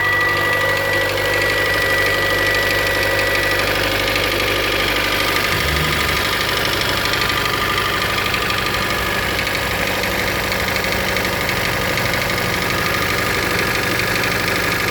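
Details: 2013 Hyundai Elantra 1.8 L four-cylinder, original owner, cold winter idle; light, fairly regular knock about three per second. Owner suspects piston slap; dealer says the noise is normal in cold weather.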